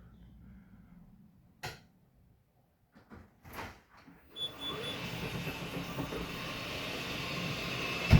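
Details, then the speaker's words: Yamaha G29 electric golf cart, possibly 2017-18, jacked up with no load, pack around 40-41 V with weak batteries: switch clicks, then the motor spins up to a steady, even whir without grinding; motor and controller work normally. "well it's moving I think she'll work the batter is are junk but I think she'll move"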